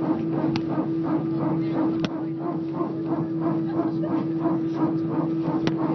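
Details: EasyJet flight taking off from Belfast for Liverpool: a steady low hum with a pulsing, bark-like groan repeating about three times a second; the source of the weird noise is unidentified.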